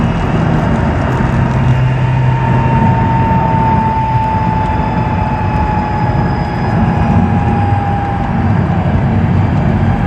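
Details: 2006 Mazdaspeed 6 with a clear high whine riding steadily over the engine, drifting slightly lower in pitch; source not identified.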